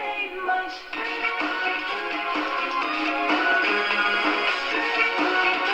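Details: 1936 Montgomery Ward 62-315 radio after replacing paper capacitors and out-of-tolerance resistors and cleaning pins, speaker cone glued, not reconed: music plays full and steady with clear tones, no harsh breakup, mild speaker coloring; normal playback.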